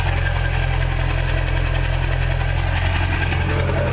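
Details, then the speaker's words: Ford F250 heavy-duty diesel truck, cold start with no muffler: loud, deep, steady diesel rumble at a low even idle; fast idle never engages as it should when cold, cause unknown to the owner. "So for whatever reason, I'm not quite sure why, this thing is not fast idling, but you can hear from her exhaust note right there that when she does, she'll be real loud."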